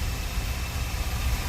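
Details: 2002 Chevy Astro van 4.3 after fuel pump and AC Delco fuel filter replacement, pump primed three times, started up: low, even idle rumble with no stumble, misfire or ticking; engine runs smoothly.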